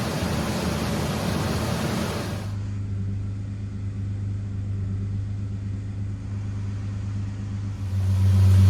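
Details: Ford 4.0 engine first start after engine repair, after reconnecting a missed coil pack wire, not yet at temperature: loud revving settling into steady even low idle hum, then rising again; runs smoothly.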